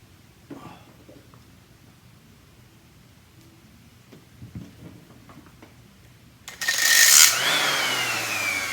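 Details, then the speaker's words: Old DeWalt variable-speed orbital sander that died: after a quiet stretch the motor spins up to a high steady whine without pad scrubbing; pad wouldn't spin, drive band had broken; band replacement follows. "It wouldn't even spin. Oh, there we go. The band had broken."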